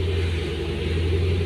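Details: 2008 Ford Mustang after a no-start caused by a faulty wire, battery recharged and reconnected; steady low rumble at even idle with no misses, knocks or ticks; engine now starts and runs smoothly.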